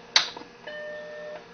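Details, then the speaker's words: Macintosh Plus, found in storage, main switch turned on after its 20 MB hard drive: switch click then one clean sustained startup chime under a second; normal, boots to "Welcome to Macintosh". "okay got some sound and there it comes okay it's starting to read the hard drive and there we go welcome to Macintosh"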